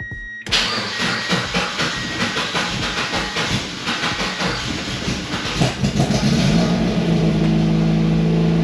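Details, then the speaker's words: NB Miata fitted with a rewelded eBay NA exhaust, no muffler or silencer, weak battery: slow weak cranking catches into a loud, raspy, blatty idle; loud exhaust, no muffler. "I wonder if I put the silencer in if that'll make a difference if this doesn't help I'm gonna have to redo it and put a muffler in there because that's atrocious"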